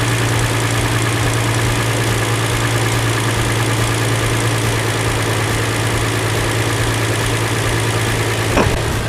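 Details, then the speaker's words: 2007 Hyundai Entourage 3.8 V6 with a no-start and P0102 MAF/IAT fault, after replacing the MAF sensor. It now stays running past 30 seconds with a smooth, even, low hum and no misses, surges or stalling; normal running. "So it's the problem is fixed, I guess. It's staying on more than 30 seconds now. I'm thinking minutes right now. It's fixed."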